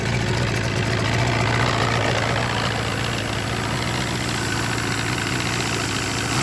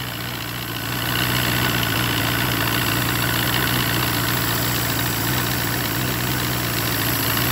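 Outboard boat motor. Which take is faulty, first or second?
second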